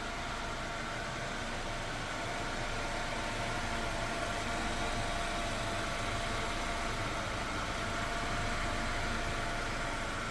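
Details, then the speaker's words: Mercedes-Benz W124 (HFM engine) at normal idle after restoration and clearing fault codes: quiet, even hum, smooth unbroken idle with no misfire or ticking; engine running cleanly like a clock. "Al reiniciar el coche, todo irá suave y creo que estarán exclamando "¡Mashallah!" al ver el motor funcionando como un reloj. Los dejo con ese sonido de motor que tanto han querido oír ."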